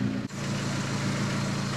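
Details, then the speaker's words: Mk1 Ford Focus estate with over 200k miles, running poorly, revved and heard from underneath: a steady low rumble with a rough, puffing hiss; an exhaust blow suspected near the flexi section, not confirmed. "underneath give it a rip it sounds like it's coming from near the flexi bit"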